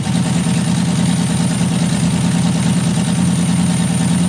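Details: 3.3-liter engine with number five injector control circuit code: heavy lumpy idle with uneven pulse about three times a second after long crank; number five injector stuck open, flooding, white exhaust smoke; no control signal, circuit fault suspected.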